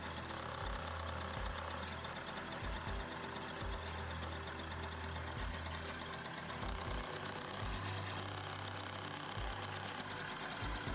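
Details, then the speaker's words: Honda Kinetic scooter that has been hard to start when cold in the mornings, idling just after a kick start: a quiet two-stroke idle with a low, uneven thump every few seconds as it settles. Owner thinks it has purged dirt. Normal idle. "gördüğünüz gibi motorumuz çalıştı içindeki pisliği de attığını düşünüyoruz biraz bekleyeceğiz motor çalışacak kendini bulacak"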